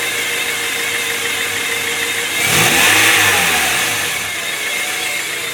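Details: 1997 Honda Prelude SH: steady mid-pitched transmission whine over the idling engine, swelling on brief revs; owner notes it differs from a previous bad throw-out bearing; cause unknown.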